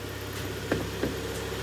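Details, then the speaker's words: Kia Sportage G4KD 2.0, 13 years old, 160,000 km, automatic, AWD, warm idle heard from outside: quiet, even idle with a faint cam phaser tick, normal for this motor; engine has early cylinder scoring and piston knock when cold. "Ну в данном случае никаких вопросов нет работает тихо маленько муфты слышно"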